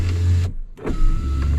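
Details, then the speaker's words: 2004 Ford F-150, other (non-driver) power windows before repair: short smooth motor whirr down then up with brief pause, steady pitch, no grinding; these windows work normally, unlike the faulty driver's side. "that one goes down and up but that one goes down and up that one back there goes down and up"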